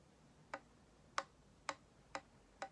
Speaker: you can hear that kind of clicking popping tapping sound you hear that versus this where there's nothing okay if your clarinet isn't closing all the way when you play this b it means that one of these keys isn't closing